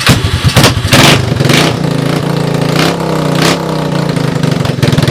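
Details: First start of a stored Honda 250ES Big Red ATC with a used portable CDI box and electric starter. It catches with loud uneven pops on starting fluid, then settles into a rough, unsteady idle with bursts and some smoke; cracked head, broken motor mount and frame.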